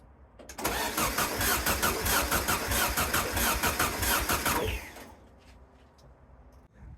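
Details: VW sandrail dune buggy, unused for 18 months: the starter spins it at about three compressions a second for four seconds but it never fires. The plug is carboned up and smells of fuel, so ignition is suspected; spark was later found on a gummed plug.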